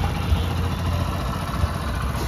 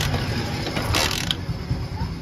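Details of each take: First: Hero Honda Splendor single-cylinder bike after repair of fault that caused missing and stalling: steady, even low idle with no misses, knocks or hunting; starts easily and idles normally. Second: Hero Honda Splendor single-cylinder bike that missed and died while riding, after starting coil replaced: ratcheting kick-start clatter with faint turnover and no firing, cranks but won't catch.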